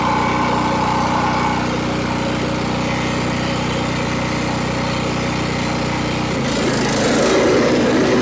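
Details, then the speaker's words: Cub Cadet LT1045 mower with a bad PTO switch, blades engaged by touching the switch plug contacts as a bypass: steady single-cylinder drone, then the note drops as a whirring load comes in. Mower runs and blades engage normally. "I could grip this, but I couldn't get to it, so I had to kind of just touch it. But you could hear the blade ignite once it touches this."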